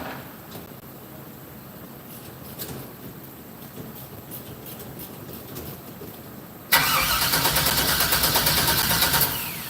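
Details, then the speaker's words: 1964 GMC with Holley EFI, first-start attempt, no fuel pressure sensor: slightly slow starter churn for several seconds, never catches; voltage down to about 10 V, under Holley's 11 V minimum. "down to like 10 yeah voltage is a little low voltage um yeah Holly wants at least 11 volts"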